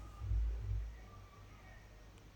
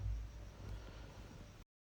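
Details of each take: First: Skoda Rapid cranking in short bursts of starter rumble but not firing; no fuel reaching the fuel pipe and no current at ignition, fuses OK, wiring being checked. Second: Skoda Rapid after a no-start fix: no current or fuel reached the fuel pipe until the headlight switch was replaced; it now holds a steady, low, even idle with no knocks or misses, then shuts off.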